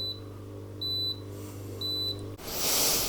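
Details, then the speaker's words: Coldis COLV12a+49dm dishwasher at cycle start: beeps about once a second over a steady endless pump hum and won't start; water found inside the base tripped the leak detector. "the pump is running which is the first part of any kind of cycle with this but it just keeps doing this be beep beep and the pump running at infinite him as it"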